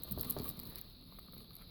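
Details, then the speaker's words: Faulty clamp meter whose data hold function doesn't work, shaken by hand: a light, irregular patter of small clicks dying away; something broken and loose rattling inside the case. "can you hear that you can hear it rattling there's something broken inside"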